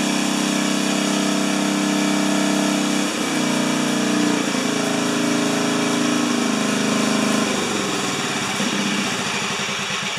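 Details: 4HP horizontal-shaft Briggs single, muffler temporarily screwed in at 45 degrees after broken studs, restarted without choke after earlier fire; steady, even putter with a brief speed change midway, smooth and healthy; normal running.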